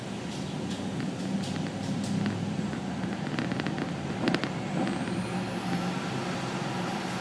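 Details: Nissan Titan on ramps with sharp light clicks, about two or three a second. Found to be the emergency brake; replacing the parking brake shoes stopped the clicking.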